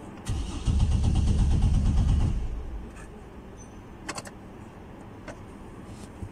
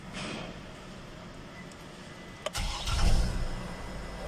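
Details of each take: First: 2009 Chevrolet Trailblazer, PCM fuse always blown; about two seconds of even cranking, no firing; crank no start traced to grounded/shorted fuel pump circuit. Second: 2009 Chevrolet Trailblazer that cranked without starting and kept blowing the PCM fuse, after replacing a grounded fuel pump: short crank, fires almost immediately and revs briefly before settling, a clean healthy start.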